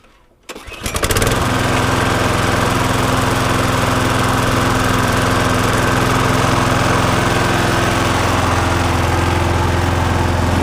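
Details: Viking petrol lawnmower taken in part-exchange with a suspected bent crank, later found not bent (the blade boss protected the engine). It has an automatic choke and a fairly new plug, catches within a second of the pull and settles into a steady, even drone with no knocks or misses. Normal running.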